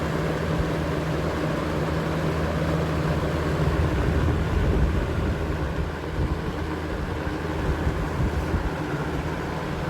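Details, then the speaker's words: Early-1990s 20-inch Robeson 2393 box fan with third-gen McMillan motor on high speed: low motor hum with uneven rumbling wobble, fan shakes and scoots side to side, no buzzing; the warped blade hub throws it out of balance. "And go ahead, fire it up. Wake up for this season on high speed. They shake quite a bit."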